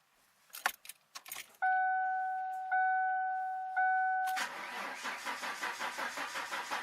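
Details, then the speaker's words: 1996 Ford Mustang, first start after winter storage; antifreeze had been found in the oil, which was changed. Keys jingle and the chime sounds, then the starter cranks evenly without firing to build oil pressure before starting. "see both pressure goes right up that means they got all got oil pressure in the pump"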